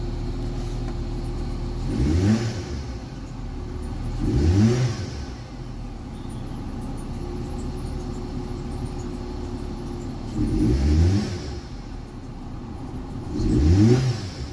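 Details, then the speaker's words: Nissan Sylphy with replacement short-block engine: rough, unsteady idle, throttle blips barely rise and sag, no power, stalls; persisted after new spark plugs and ignition coils. "นี่นะครับคือตอนนี้เบาดับไปแล้วนะครับเครื่องไม่มีกำลังนะครับแล้วก็จะเบาดับไปเลยนะครับ"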